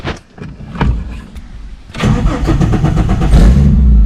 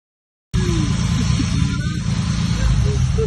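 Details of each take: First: Engine with turbo supporting mods, first start after loading a new ECU tune; fuel pump primed 2 seconds: a few uneven cranking chugs, then it catches and settles into a steady, strong low rumble; normal crank and start. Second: Newly turbocharged ute with new fuel pump and injectors, driven after start-up with poor tuning: loud, lumpy low-end roar with uneven pulsing under boost; engine blew up, about 2 litres collected in the catch can.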